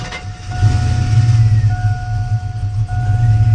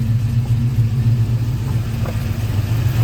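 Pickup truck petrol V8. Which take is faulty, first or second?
first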